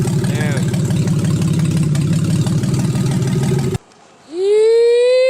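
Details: Freshly built forged 3.1-litre custom S52 six-cylinder after ECU swap fixed P0600/P0601 codes: steady even low beat at warm idle for about four seconds, no misses or knocks, then cuts off.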